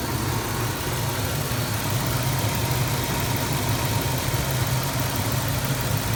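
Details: 2003 Chevrolet Tahoe Z71 5.3 Vortec V8, 178k miles, at idle: light even tick from the passenger side of the engine, constant even while driving; owner suspects lifter tick or possibly a broken exhaust manifold bolt.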